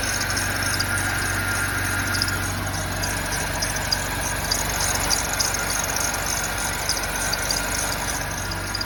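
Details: E70 4.8 V8 idling cold when it is below 40F outside; a faint, rattly, uneven ticking about one to two per second over the hum; engine noise on cold start, cause unclear.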